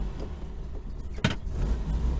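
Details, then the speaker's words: 1966 VW Type 3 Fastback, 6-volt system, after a prior driving incident: cranked right over and fired up, then ticks over with a steady low rumble, no knocks or rattles; normal running. "That time it fired right up and cranked, or cranked right over and fired up."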